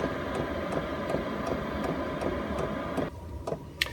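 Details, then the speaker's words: Chinese all-in-one diesel heater in a small van, settled into tick-over mode after reaching target (cabin 17°C and still warming): fan rush with crisp pump ticks nearly three a second, then lower and quieter; normal low-speed running. "And now what's happened is it slowed itself right down, but because this is such a small van, even in this tick over mode, it's still heating my van up inside."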